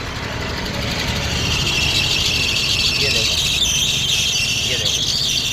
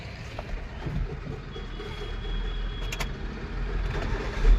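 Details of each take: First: Hyundai i10 idling, heard from outside the car: a loud, shrill, steady squeal ("chu chu") starts as soon as the AC is switched on, from a loose drive belt slipping; the fix shown is tightening the V-belt. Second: Hyundai i10 idling with AC on, after tightening the loose V-belt: soft even low hum, no squeal or chirp; belt noise fixed.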